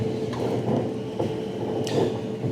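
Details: Whirlpool analog (timer-controlled) electric dryer switched on during electrical diagnosis, timer motor showing 240 volts so should be advancing: steady motor hum with soft tone and occasional light drum thump; running normally.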